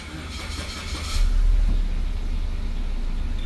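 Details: 2019 Suzuki Vitara started after replacing a blown fuse that caused the "Service Start System" dashboard warning: the engine catches quickly and settles into a steady, even low idle with no misses or knocks; the warning cleared.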